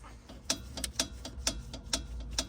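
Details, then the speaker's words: 2019 Porsche 911 GT3 RS track inspection, customer complaint of suspension noise: small sharp pops about two a second as the suspension link is rocked, slight play in the joint. "This one's a little bit less play, but you can hear that little popping sound. I want it to be a little tighter than that."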